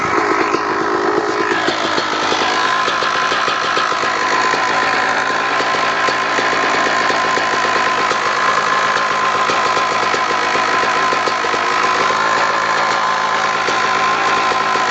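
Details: 2002 Kawasaki KX250 two-stroke: steady running with a fast, sharp ticking over a rattly idle; suspected causes are the clutch basket, power valve, or crank rod or crank bearing, not confirmed.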